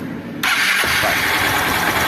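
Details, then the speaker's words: 160 cc motorcycle with loud engine noise (suspected cylinder kit, rockers), oil leaking and being topped up: catches instantly and settles into quick even idle with no tapping or knocking; noise gone. "Cadê o barulho? Sumiu tudo. >> Sem barulho nenhum. >> Sem barulho nenhum."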